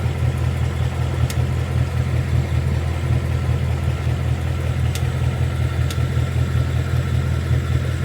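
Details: 2022 Mustang GT Coyote V8 at idle, just after an oil change and before adding Liqui Moly Ceratec. A faint, fairly regular light tick at about two to three a second rides over the low rumble.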